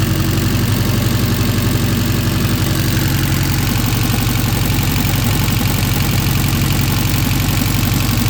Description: Alfa romeo 105 1600nord motor installed in project car. testing and running through the rev range to check gor oil.pressure leaks etc